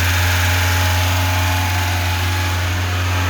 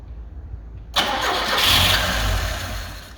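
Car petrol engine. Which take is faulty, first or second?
second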